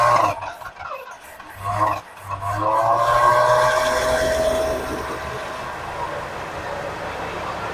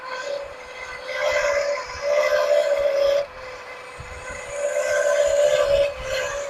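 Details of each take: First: 1979 Lincoln Continental abandoned 32 years, first start using starting fluid: it stumbles and catches, then settles into a smooth, even V8 idle that holds on its own, a normal idle. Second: 1979 Lincoln Continental 400 V8, abandoned 32 years, idling after first revival start: harsh, gritty grinding rising and falling over a steady whine, confirmed by probing as the smog pump; smog pump bearing grinding.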